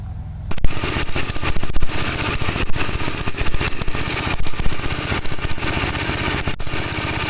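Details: 1954 Gravely tractor single-cylinder, recorded right at the muffler before the cleaned carburetor goes back on: uneven, stumbling firing with irregular gaps over a loud bark; rough running, cause unconfirmed.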